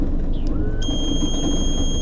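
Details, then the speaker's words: 2003 Johnson 70hp four-stroke outboard idling, trimming down: brief chirp then steady high-pitched warning buzzer over engine hum; owner suspects a short pulling voltage to ground, not confirmed. "so we got some sort of short pulling something in the ground or that's what I think pulling the voltage to ground"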